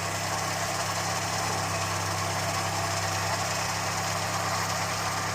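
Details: Ford Fiesta Mk1 petrol, left sitting outside in rain, with developed misfire; plugs, distributor cap and rotor checked, carburettor fuelling turned down, cuts out when air filter pressed: steady low idle drone with faint irregular unevenness, rough idle, occasional miss suspected.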